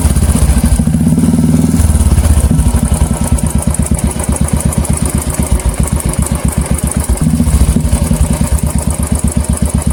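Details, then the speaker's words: Royal Enfield Classic 350 at idle with a tick-tick sound; mechanic shows heavy play in the timing pinion and mentions hydraulic tappets can also fail: even thumping idle about four beats a second with a light metallic tick each beat; cause suspected. "दोस्तों आप देख सकते हैं यहाँ टिक टिक टिक टिक टिक एक sound cat कर रहा है दोस्तों।"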